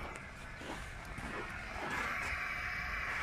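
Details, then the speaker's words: Truck parked in winter, handbrake set: steady airy hiss as an air brake valve bleeds off compressed air; driver considers periodic venting normal from winter moisture. "нет клапан что-то стравливает ведь слышите шипит"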